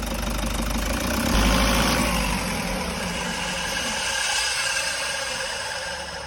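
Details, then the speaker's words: Toyota HiAce 1KD diesel, low mileage: steady airy hiss heard beside the engine, noticed when shutting off; noise vanished with fan belt removed, traced to worn alternator pulley bearing. "Pag pinatay ang makina may sumisingaw. Yun na nga mga boss. May yung naririnig natin na parang sumisingaw."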